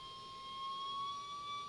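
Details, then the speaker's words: Zenith Trans-Oceanic Royal D7000Y radio during AM IF alignment, BFO knob centred while adjusting BFO slug: steady whistle near 1 kHz drifting slightly in pitch; BFO not yet at zero beat. "If I go further, it starts picking up again. So I need to make sure I leave it where it's totally silent."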